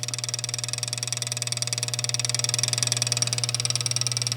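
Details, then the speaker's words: 1948 Gottlieb Olde King Cole pinball, mechanical bicycle timer on line voltage counting down roughly 7 minutes after the coin slide is pushed; even light ticking about four per second over low transformer hum. Normal game timer ticking. "that is this mechanical timer physically counting down roughly about 7 minutes so when you push the coin slide in this whole rail here moves"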